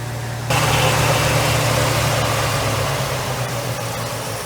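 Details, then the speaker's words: 1969 Ford Mustang V8, 59K original miles, sat 30+ years: high idle, smoke stopped, with slightly uneven pulse and faint stumble suggesting an occasional miss; mixture screws to be adjusted, cause unconfirmed. "We might have a little pitter patter over here, like, you know, a miss, but I do believe we have got it."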